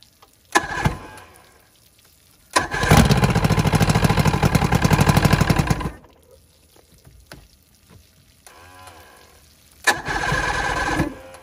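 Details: Vintage Evinrude SPL 88 outboard, dewinterized, cold start after about 23-degree night with water flow, primer and key: cranks, catches quickly, settles into an even two-stroke burble with no misses; normal cold start and idle.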